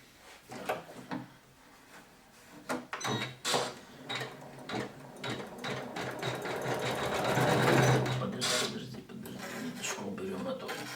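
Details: Janome 500E embroidery machine after the cause of a knocking noise was fixed: quick, even needle stitching at about three per second, with some hand handling at the start. Sound now good and healthy.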